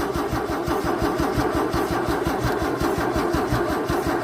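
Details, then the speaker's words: 1964 Holden EH ute with a fuel pump that gives no fuel at the outlet unless primed: steady starter cranking at about three compression beats a second, never fires; owner suspects a spark issue. Crank, no start. "So, we'll give a bit of choke and see what happens. Nothing. Not a thing. So, back to the drawing board."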